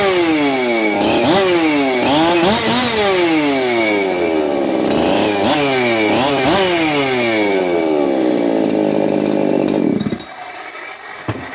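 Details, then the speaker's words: 372XP chainsaw on a bench run, not yet tuned (rough tune, good compression), revved in sharp sweeps: a rough rattle rides on the high revs from the noisy aftermarket clutch drum needle bearing. "when I Zing it up up I can hear the needle bearing on the clutch drum but that is afterm market"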